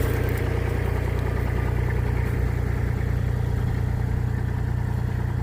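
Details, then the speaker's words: V1000 mini skid steer diesel, back together after a breakdown with a new ignition switch, started after preheat: a steady, low, even diesel clatter at idle with no stumbles or surges. All units are working. The finding is normal idle. "All right. The operation is back in action. All right, so all the units are working good."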